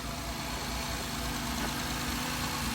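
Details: 2012 Honda Odyssey after replacing the rocker arm oil pressure switch for code P3400, with fresh oil: a steady, even idle hum with no knocks, ticks or hunting. The engine runs smoothly.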